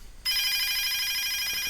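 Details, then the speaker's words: DSE FP-200 telephone ringer circuit (ROHM BA8205 ringer IC) fed 20 V DC directly from bench supply, bypassing LEDs and capacitor: shrill steady electronic trill without dropouts; ringer works, starting at 20 V and stopping around 12 V. "if I switch the power supply on it makes a ringing noise doesn't it I think you can hear that yep my level meter goes up so yeah that that seems to work"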